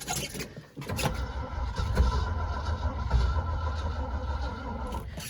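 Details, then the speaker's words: 1971 Ford Highboy boom truck on a cold start at two below zero, choke cable not yet fitted, on a weak battery: slow, labouring, uneven cranking that never catches; the weak battery gives slow cranking and no start. "it doesn't sound like this battery is going to have much in it though so we'll give her the best possible chance"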